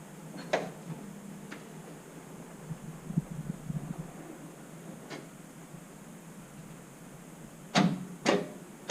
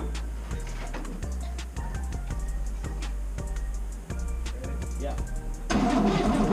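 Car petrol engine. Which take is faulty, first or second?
first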